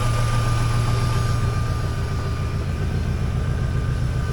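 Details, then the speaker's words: 2003 Mini Cooper idling on lift after sitting, first run after immobilizer bypass: thin constant whir above the engine note; owner wonders if it is the fan, later hears fuel pump; source unconfirmed. "wonder what that noise is all about makes weird noises"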